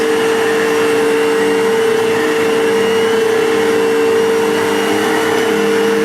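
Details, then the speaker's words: Vacuum cleaner after repair for loss of suction, belt possibly not fitting properly: a steady motor roar with a sharp constant whine on top; it runs and sounds much better than before but still not right. "and guess what i don't like that sound but it sounds better than it did sounds a lot better than it did so that does not exactly sound the greatest"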